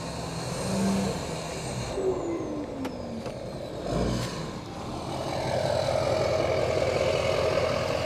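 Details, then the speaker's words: GMC Duramax 2500 diesel with 80 hp tune, muffler delete and 5-inch straight-pipe exhaust, heard passing; rising then sustained whistle over the diesel note, some brake hiss; healthy turbo whistle. "That turbo sounds really good. Good, I love it."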